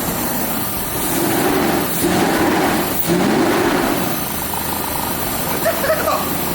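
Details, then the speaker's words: Stock V12 Jaguar XJ brought back to life with a fresh battery, first run: smooth, even, fast-ticking idle like a sewing machine, no knocks or misses; normal idle. "I want to rev it but I want to let it kind of run for a it sounds like a sewing machine that's"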